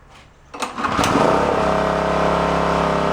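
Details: Onan K450 portable generator, yard-sale unit that sat a long time, choke off: catches after brief crank, steady even hum, no knocks or misses; runs properly; slight oil seep when tilted.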